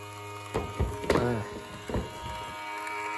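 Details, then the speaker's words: Chinese-made mini washing machine that would not run, motor fed about 4 V from a charger for testing: low hum with irregular clacks and rattles as the motor clatters instead of spinning smoothly; technician judges the motor winding burnt without opening it. "Motorimiz sistemlariga kelibdi. Ovozini eshitsangiz shaqillab yotibdi."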